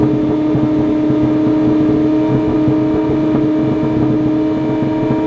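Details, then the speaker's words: Ferrari 458 idling with no throttle input after battery reset: steady fast engine note far above normal idle, previously revving toward 7,000 rpm and surging; owner suspects dirty MAF or throttle bodies sticking open. "i don't know what's going on here um only thing i can think of is maybe a dirty maf but that seems like crazy this is not like typical dirty math stuff something something's really messed up it's almost like the throttle bodies are sticking open"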